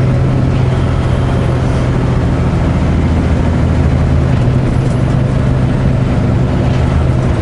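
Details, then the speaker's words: Lumber truck on Pacific Northwest highway: steady low howl/humming under heavy road roar while driving; driver suspects a wheel bearing, plans to pull steer hubs and check caps for heat; unconfirmed. "what does that sound of a howling sound like the sound you would get from rough tread a big tread on a i'm not mechanically inclined but is that a sign of a bearing or something going i hope not"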